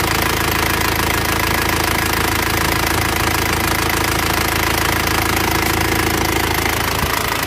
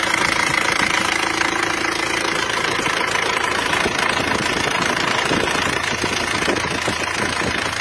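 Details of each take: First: Loud idle of an Isuzu Panther diesel after repair for heavy oil consumption, a busy, even metallic valve clatter on top; valves still need adjusting, loose clearance; injection pump and nozzles still to be serviced. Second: Isuzu Panther diesel after repair for heavy oil consumption (10 liters used from Jakarta to Blitar), rear seal, engine mounting and injection pump serviced: steady diesel clatter at idle, even rhythm around three beats a second, no knock or misfire; normal idle.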